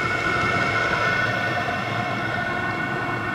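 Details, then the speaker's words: VEVOR 27,200 BTU diesel air heater running on setting 2 during first startup: steady, even rush with a constant whistle-like tone and no knocks or surging. Burning cleanly and running normally. "ut and two pump getting more Rhythm this thing runs on either 12 volts or 24 volt it doesn't care sounds like it's getting going now"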